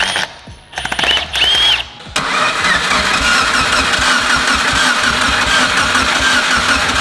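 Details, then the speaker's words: Evo 8 abandoned for 3–4 years, first start attempt, fuel and compression present but no spark suspected: starter churns steadily at about four beats a second, engine never fires; crank no start. "no spark why won't you spark sir"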